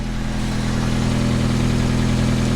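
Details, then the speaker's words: 1995 Honda Civic on jack stands after welding a broken exhaust hook where it likely leaked: steady, even low idle with a smooth exhaust note, no ticking, puffing or rattle; healthy. "pretty much sounds like a honda should"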